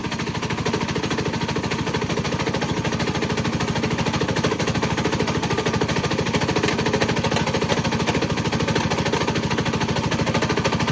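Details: 196cc Coleman mini bike engine: rapid, hard metallic knocking on every revolution over the running note, from a loose connecting rod bearing (rod knock).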